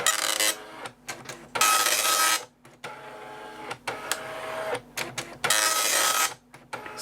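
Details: Amstrad DMP3000 dot matrix printer with an Amstrad PC1512, self-test via the third button after pins earlier seemed silent: rasping pin chatter alternating with carriage and paper-feed whirs; the print head fires and the self-test runs normally.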